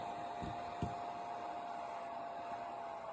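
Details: eBay 50 A variable bench power supply (10.3–15.4 V); its cooling fan slows when the voltage is turned down. Steady whirring with a faint even tone that sags slightly as it slows, nothing rubbing or ticking. Normal cooling fan.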